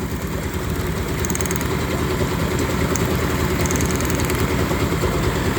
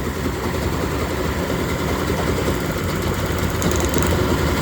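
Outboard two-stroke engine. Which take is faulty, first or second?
first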